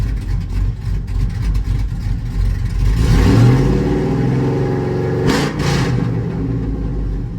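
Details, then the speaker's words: Cammed LS V8 Chevrolet Tahoe after misfire work (earlier plugs, wires, bad O2 sensor), slightly warm start: deep even idle with a quick rev blip, no stumble, now running on all cylinders instead of shaking. "Well, she already sounds a lot better at idle. And it's just a cold start. I mean, it's a little warm, but it already sounds better and feels smoother cuz when it was start, it was like shaking like bad."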